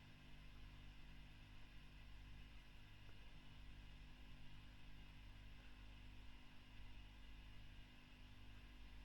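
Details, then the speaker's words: 2008 Fender Bassman 59 reissue tube amp during service, after swapping the V1 preamp tube for a Mullard; noise gone much quieter, only a faint steady low hum under soft hiss; quiet clean idle. "Now that noise is the lights and that's suddenly gone much quieter."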